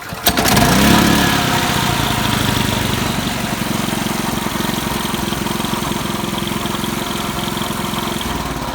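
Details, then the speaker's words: RYOBI RYI4022X 4000W inverter generator, serviced, charging; easy start, catches right away and settles into a steady even drone without stumbling or surging; normal start and idle. "But yes, Charging. easy start."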